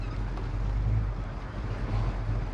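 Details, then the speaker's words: 1972 Buick Skylark with big-block 455 V8, automatic, dual exhaust, at engine temperature: deep, steady rumble at a low, even idle that holds without dipping or stalling. "this one's definitely idled down quite low sounds good and it's holding its own it's staying running it's not falling off there"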